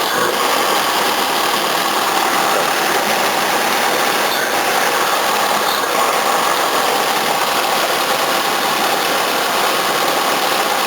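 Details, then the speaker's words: 1981 Toyota Corona RT132R, 18R-C engine, after tappet adjustment with larger gaps: even, steady idle with light hiss and faint rattle, water pump audible, no stumbling or shaking; normal idle. "Running so much better, a lot faster too. Still all I can hear is water pump."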